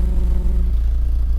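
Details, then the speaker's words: 1984 Volvo 760 Turbo, warm idle heard at exhaust: mostly regular pulses with a few misfires, slight putter, much better than before; owner suspects mixture/CO richness still needs adjusting; slightly uneven warm idle. "C'est assez régulier, mais il y a quelques ratés quand même en auto au ralenti. Voilà, ça crapote un peu."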